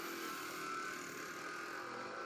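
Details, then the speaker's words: 2004 Jeep Grand Cherokee 4.7 High Output, 225,000+ miles, after fuel injector replacement; key cycled three times, engine off, leak check; faint steady whir at even pitch for a couple of seconds. Normal fuel pump priming. "do this three times [Laughter] and i've heard the fuel pump kick on each time"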